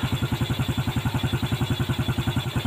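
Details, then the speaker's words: Yamaha Vega ZR motorcycle after engine rebuild with new 5D9 piston kit, previously very rattly and smoking white: steady even idle about eight beats a second, no ticking; smooth quiet normal idle, carburetor adjustment still broken. "Enak, suaranya nggak berisik."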